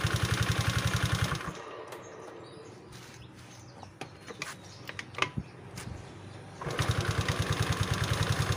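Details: Automatic belt-drive scooter after the slipped kick-start shaft, which had rubbed the fan, was relocked and its spring refitted; the small single idles with an even putter, drops out while handled, then picks back up steady with no scraping. Normal idle.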